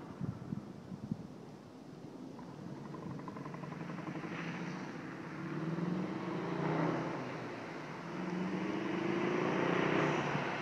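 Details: VW GTI 2.0T, Stage 2 Unitronic, turbo-back exhaust, cold air intake: exhaust swells through two revs but sounds lumpy and stumbling; ignition coils 2 and 4 failed, cylinders misfiring, altered exhaust sound.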